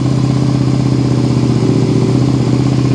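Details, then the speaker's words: 2001 Suzuki SV650S V-twin that was running on only the front cylinder, warming up, throttle bodies not yet synced: steady lumpy idle a bit high, smoky and smelly; owner suspects a fuel pump diaphragm or fuel lines. "got a little bit of a high idle yeah that looks really good really really goodoo definitely stinky and Smoky though"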